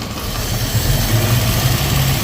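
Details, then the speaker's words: Datsun roadster EFI conversion, idle air control valve set to about 50%: fast, even idle well above normal with no dip or hunt because the valve admits too much air; trigger noise from distributor near spark plug wire; valve being turned down. "okay so as you can see the idle is really high we got signal noise not a big deal we know that's we know the problem there so we're going to start turning this guy down"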